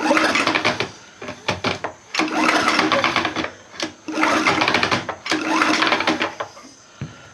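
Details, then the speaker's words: Troy-Bilt Professional pressure washer engine with the air cleaner off, rope pulls: airy whooshing bursts blowing back through the intake, no firm compression. Owner suspects a stripped or broken plastic cam gear in the crankcase causing a timing issue. "I'm beginning to think that plastic gear in the bottom of the crank case it's probably strip or got broken because since I've got the air cleaner off it's actually blowing back through the air cleaner so that's not good that's a timing issue"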